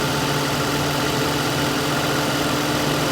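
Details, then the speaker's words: Lincoln Town Car whose AC compressor had been cycling intermittently from low refrigerant, just after adding stop leak and a full can of Freon. The compressor now hums steadily and continuously over the idle with no knock or squeal. "I put the whole can in there, and you can hear that compressor. It is completely full-time going."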